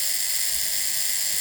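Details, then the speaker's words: Wapa 7a high-frequency healing device after adjusting pressure, which had been too strong, checking the handle: steady, even high-pitched hiss with no sputtering or dropouts; normal high-frequency discharge. "this sounds nice. Oh, this worked well. Happy so far."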